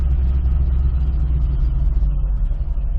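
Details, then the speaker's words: 2005 Chevrolet Corvette with a supercharger, idling in gear: a lumpy, uneven low rumble with a hitching, irregular beat; the misfire comes from a spark plug wire that was not plugged in. "you guys can hear that this thing's running awful all right guys I may have found the problem I was looking down over here and look what we got here we have a spark plug wire not even plugged in"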